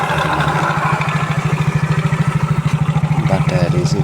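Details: Yamaha Mio J scooter before repair, idling with a loose metallic clatter pulsing about three times a second over the engine; a slack cam chain, later replaced.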